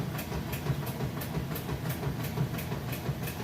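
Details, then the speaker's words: Kenmore top-load washer with a heavy jeans and towel load, lid switch bypassed, starting agitation: soft regular swish-thump about three times a second over a low motor hum; agitating evenly and healthy. "see it agitating just getting started there excellent job with the agitation"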